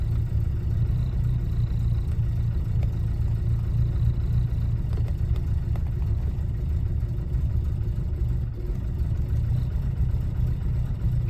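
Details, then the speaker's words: 1967 Alfa Romeo Giulia 1300 TI, very original, mid-January cold start, in neutral, choke eased with slight throttle: low, even rumble at slightly raised cold idle, holding steady without misses, working toward smooth idle; normal cold idle on choke. "trying to find that sweet spot still so between the choke and the ever so slight bit of gas we're giving her she's working her way up to a smooth idle you saw how easily she fired up"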